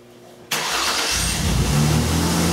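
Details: 2002 Mercury Cougar 2.5L, repaired after a no-fuel-pressure fault from reversed wiring on a new fuel pump: a short crank catches within a second into a smooth, steady idle with no stumble or misfire; a clean, healthy start.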